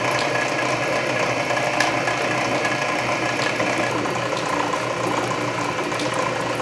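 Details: Canedy Otto drill press at low speed drilling a large hole under power feed; main drive belt slightly loose but masked by gear reduction torque; steady gear whirr with quick feed-ratchet clicking — normal.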